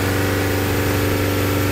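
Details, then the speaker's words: Toyota Fortuner diesel after repair of knocking, white smoke and hard starting: engine revs freely and runs smooth and even with a steady deep drone, no knock or miss; normal running. "हमारी गाड़ी पुरी तरह से race भी हो रही है और हमारा जो लॉकिंग का प्रॉब्लम देखिए वह भी नहीं ए रहा है"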